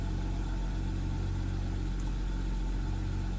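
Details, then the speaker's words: BMW X6 with no fault codes, after start-up: deep exhaust drone with slight uneven pulse, rpm dropping from about 1000 to 800 and going up and down; rough idle. "here she goes it's having rough idle you can see it right there you can see it going up and down right there"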